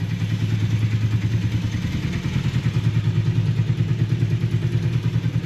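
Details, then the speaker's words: Honda motorcycle (one of V65 Magna, VT500C, CM250T) woken after sitting parked, first start of 2025: lumpy, uneven cold idle around three pulses a second with clatter, improving as it warms up and clears its throat; rough running when cold. "Not sure about this. That's better. I think it just needed to warm up a bit, clear its throat."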